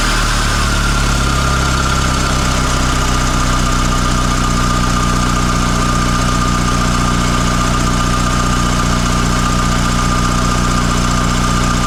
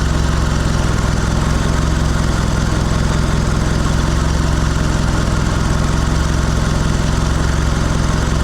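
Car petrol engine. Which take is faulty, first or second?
second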